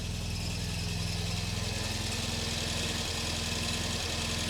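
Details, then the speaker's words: Supercharged MGB after engine pull, oil leak fixes and new supercharger camshaft, first start in wet cold weather: uneven chattering rattle with hard catches; owner suspects faulty starter pinion throwing in and out. "I think it was the starter motor. I think it's there's something wrong with that pinion gear that throwing it in and out."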